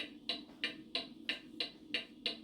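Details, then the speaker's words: Out-of-beat pendulum mantel clock lifted on one side until in beat: even tick-tock about three beats a second, evenly spaced; the fix is nickels under the left side to hold this beat so it runs the full week on time. "This is the proper beat. So I would put some nickels under the left side of the clock so that I could get an even beat like that."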